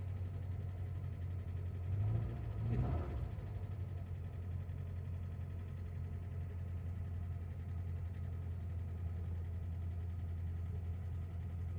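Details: 2000 Chevy Tracker after installing new fuel pump assembly; low steady hum, even rhythm, no tapping or knocking; normal smooth idle.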